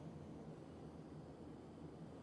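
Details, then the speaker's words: Roughly 20-year-old Comfortmaker furnace after replacing the loud draft inducer: new inducer runs with a steady, even low hum, no rattles or scraping, drawing 2.2–2.38 amps, within spec; normal operation. "Let me check the draft inducer amps, being it's brand new. We're 2.2 amps, so we're good."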